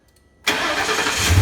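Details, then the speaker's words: 2004 Ford Crown Victoria V8 at 170,000 miles after replacing the driver's side exhaust manifold and broken studs; quick crank, then it catches and settles into an even, smooth idle with no ticking: normal start and idle. "but now it's dead quiet nothing is smooth and you bound the dime off this thing"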